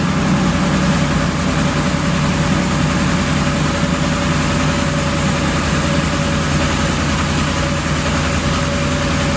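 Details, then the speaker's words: 2007 Ford Expedition 5.4L 3-valve V8 at idle, no stored codes: rough, uneven idle with rhythmic popcorn-like pops about once a second, loudest at top of engine; power balance test shows cylinder three dropping power with each pop, misfiring. "this little guy right here is down on power this is cylinder number three but check this one out see that every time I hear a pop this comes down and it loses power"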